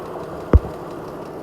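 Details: 2014 Jeep Grand Cherokee petrol engine at idle with a sharp, distinct tick about once per second; cause unknown.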